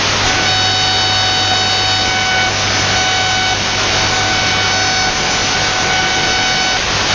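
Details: Receiver picks up a steady high whine with stacked overtones over hiss, spanning about 15 to 21 MHz, then buzzing; QRM interference from an unknown source.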